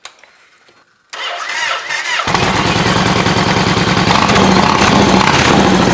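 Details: 2008 Yamaha Raider V-twin started and idling after an oil change and refill, before the oil level check: the starter cranks, then a steady, even loping idle with no knocks or ticks; normal idle.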